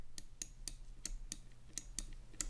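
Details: Cooler Master MM710 53G gaming mouse left button: crisp, clean clicks about three a second with no creak; normal (creaking occurs only on the right button).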